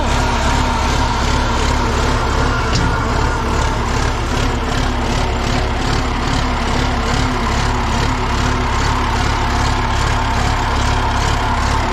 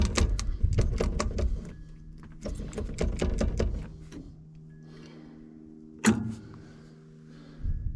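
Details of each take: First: John Deere 890 excavator diesel, finally started after a no-start traced to a suspected bad key switch: steady, even idle with a regular low beat and no knocks or misses, running good and strong. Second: John Deere 890 excavator, first start attempt after years sitting with frozen controls: rapid bursts of sharp solenoid clicks at each key turn, no cranking. The starter isn't getting power.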